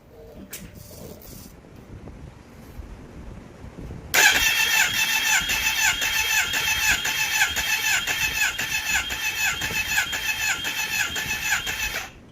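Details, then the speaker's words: Kawasaki ZX10R, compression test on cylinder 3 after its valve repair (cylinders 1, 2, 4 untouched): strong even starter cranking about eight seconds with steady pulses; reads 172, considered OK. "172นะครับถือว่าโอเคอยู่นะค่ะ"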